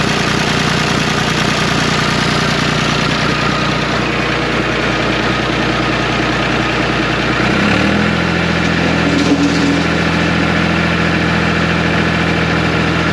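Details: 1974 John Deere 350B bulldozer diesel idling after removing return-line ball check valve and spring to cure dying; steady, even idle with a brief note change near eight seconds, then settles smoothly. Owner suspects an injector-line air leak causes occasional rough running.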